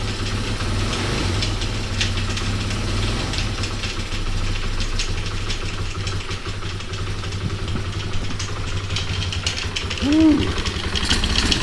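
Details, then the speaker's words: Honda XR200R single-cylinder at first start after revival: low, lumpy idle with loose metallic rattle from one side; owner suspects timing chain, possibly clutch, not confirmed. "sounds like it's got a timing chain rattling something's rattling almost sounds like from right here the timing chain I believe is on this side"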